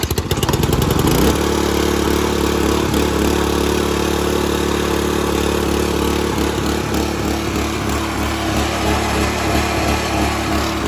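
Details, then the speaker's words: Little Wonder walk-behind leaf blower, 5 hp Honda GC160, after crankshaft replacement, cold start with choke and throttle on: catches, then revs keep rising and falling unevenly; hunting when cold, owner plans to check carburetor. "So I noticed when it's cold, it does rev up and down, it hunts."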